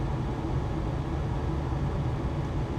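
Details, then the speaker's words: Modern gas furnace after replacing faulty igniter: new igniter lit the gas with a nice blue flame; steady even low roar of burner and fan, no popping, surging or squeal; normal burner operation. "Ignited that gas. Nice blue flame."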